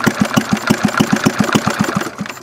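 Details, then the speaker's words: 1951 Briggs & Stratton 6S single-cylinder engine (hit-and-miss conversion), idle being cranked down as low as possible: separate chuffs at about six a second slow and fade as it is about to stall; it then dies with the idle set too low. "crank it down crank it down Mike see how L you can get to go he's about to die yeah he's about to die"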